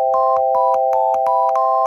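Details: Arduino-based penny organ with four digitally controlled oscillators feeding a small mixer: a three-note chord holds pure, then the fourth note comes in bright and buzzy. Distorted output from a faulty oscillator.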